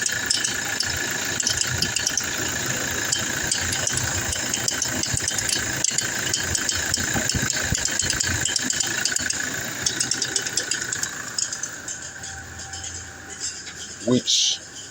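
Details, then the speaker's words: 2017 Toyota Hilux diesel idling, louder with AC, drive or reverse load: fast dry crackling clicks stopping at shutdown; belt tensioner and idler pulley already changed, cause found to be the alternator pulley. "it gets it gets louder whenever load is on the engine. So whenever you turn off the AC, it minimizes, but whenever you put it in drive or reverse, it gets louder."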